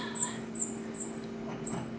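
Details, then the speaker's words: Konica Minolta scanner squeak while scanning: sharp, chirpy squeaks about three times a second over a steady hum as the scanner moves; cause unclear. "hear that scanner squeak guys girls isn't it terrible isn't it terrible at Konica Minolta seem like they haven't done a very good job at putting this machine together"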